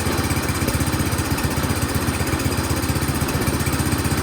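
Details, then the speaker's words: Toro PowerMax 7240E snowblower that sat 4–5 years with old gas, carburetor only partly bolted on: small single-cylinder chugs at a steady, even beat with no misses or surging; running. "Well, there we go. It's running. Maybe not the greatest, but I only had the carburetor partially bolted on there, so we're going to reassemble everything."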